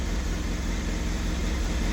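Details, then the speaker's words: 1989 Honda CBR1000F four-cylinder, abandoned over 10 years, first start fed from a funnel fuel tank; smooth even low burble idle, no knocks or misses, sounds factory-fresh, normal idle. "It sounds like it came out of the factory. Wow. Oh, that sounds [Music] perfect."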